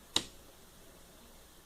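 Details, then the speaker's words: Vicini-7500 powered speaker that powered on without sound, after capacitor replaced and audio wires spliced: one sharp click at switch-on, then near silence with no hum or buzz; previous noise gone. "já não veio com barulho."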